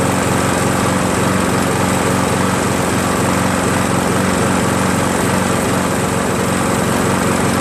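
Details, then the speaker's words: Craftsman 7HP green self-propelled lawn mower, hard to start but cuts well; idles steadily with a slightly uneven, lumpy beat, running rough; owner feels it runs very rich, too little air, and plans a carburetor replacement. Cause unconfirmed. "feels like kind of runs very rich you know like there's too much octane you know not enough air you know that's what it feels like"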